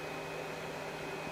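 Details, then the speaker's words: Makita BAC01 inverter powered by PDC1500 backpack battery under load: steady soft whoosh with faint high hum, no rattle; built-in cooling fan kicking on normally, drawing slightly more power. "so as you can see this as well as these has a built-in fan to help cool it down when it's pumping out the juice"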